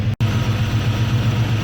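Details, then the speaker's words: Worn engine with a Holley carb after mixture screws are leaned to breakup and then richened: a low, even, smooth idle with steady vacuum around 17–18 and good throttle response. Normal idle. "good throttle response you can see the engine's nice and smooth now"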